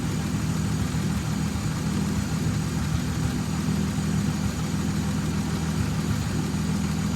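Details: 1929 Chrysler Type 66 Speedster near end of rebuild, running after teething problems: steady low rumble, even unhurried beat, no knocks or taps; normal healthy idle.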